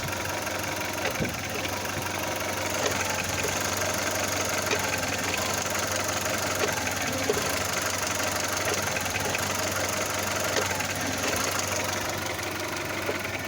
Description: audi a2, engine mount maybe?